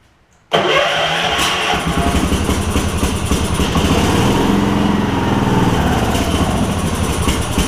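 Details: Gravely 16 Professional walk-behind mower with mechanical fuel pump, sat after its owner died, started on choke: catches after a brief pull and settles into a steady, even single-cylinder beat with no misses or knocks; normal running.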